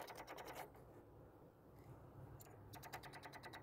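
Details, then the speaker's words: Infiniti G35 sedan with a recurring no-start: quick light ticks, about three a second, come in short bursts from the rear of the engine bay, not from the fuse box or battery, like a relay chattering on a weak battery; the cause is unconfirmed. "let's see if I can pinpoint it from the interior oh no it's definitely coming from inside the engine bay it sounds like it's coming from it it honestly sounds like the sounds coming from like back there"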